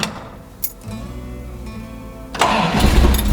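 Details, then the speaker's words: 1970 Dodge Challenger V8, off the road 15 years, first start after a couple of pedal pumps: quiet pause, then catches in about two seconds into a loud, full, steady rumbling run; sounds healthy. "Oh yeah! Oh, that sounds good. Oh yeah, I like that."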